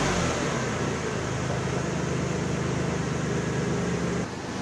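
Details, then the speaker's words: 2004 Toyota Sienna AWD idling after replacing the broken front exhaust flex pipe: even, steady drone with no rattles or blowing leaks. Normal exhaust idle, much better than the loud pre-repair sound. "Well, it's all wrapped up. Sounds much better than it did before."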